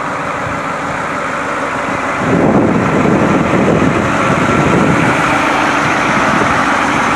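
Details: White 4-175 tractor on high-speed road test after rear main frame repairs. Its old low hum at high speed, thought to come from worn rear-end gears and broken bull gear teeth, is gone; steady engine and gear roar, normal drivetrain.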